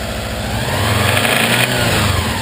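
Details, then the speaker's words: Subaru Legacy engine with cam belt covers off, no alternator or cooling plumbed: faint rhythmic tapping deep inside the block as it revs and settles, ruled out tensioners and pulleys; owner fears internal damage. "sounds like it just sounds like it's coming from inside the engine"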